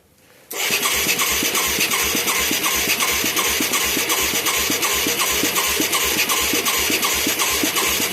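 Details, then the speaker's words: Mid-1980s Yamaha YFM200 Moto 4 ATV with a new carburetor and spark plug: steady even cranking at about 160 per minute with no firing pops. It has good spark, a soaking wet carburetor and good suction. Owner suspects the air-fuel mixture is far off or the carb has the wrong jet. "I'm amazed we're not getting a pop here. We got good spark. We got soaking wet shit right here."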